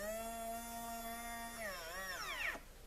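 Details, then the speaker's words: HiT Toys TrackMaster Percy toy train motor, thrift-store find, power applied directly to contacts before cleaning: thin whine holds, wavers, sags and dies; motor hesitating, starts and stops, cause not found. "So it is working, but it's I put power to it, and it's kind of hesitating, and kind of starts going and kind of stops."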